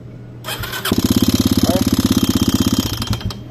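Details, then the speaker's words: Yamaha XTZ 250X (Lander X) single that died while riding and restarted with a bad noise, starting easily: short crank then fast loud even clatter at each firing pulse from the cylinder head; suspected broken camshaft or rocker arm, not confirmed. "Bonito essa tá um barulho bem feio e bem diferente nunca apareceu no canal"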